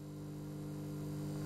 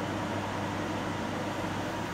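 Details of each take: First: Samsung CM1929 commercial twin-magnetron microwave on switch-on: heavy thump, then a loud steady low transformer hum with the door shut while the magnetron runs but fans don't and no current is drawn; fault from a neutral shorted to chassis. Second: Samsung CM1929 commercial microwave with two magnetrons, running at full power before the fault is simulated, drawing 14.7–14.8 A from the mains: steady hum with low mains buzz and fan rush, no arcing; normal operation.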